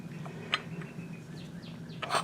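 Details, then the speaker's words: Rebuilt Midland Ross brake booster, 1970 Dodge Charger drum brakes, engine off: each pedal apply brings a short hiss of air through the filtered rear hub, louder as vacuum reserve drops; normal, no leak. "now like I said as the vacuum goes down in the can we're gonna hear more at Mossad air rushing in to take its place it's called physics"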